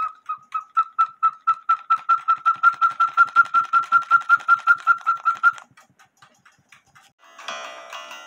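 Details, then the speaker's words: 1908 GK cuckoo-quail clock with count wheel movement, bellows reworked: clean repeated two-note piping about 160 per minute, even and well formed; now sounds like a quail, though owner suspects an air problem from a crack in the case. "now that sounds like a quail and so there's something wrong with getting air maybe it's like the cuckoo and the case itself is broken"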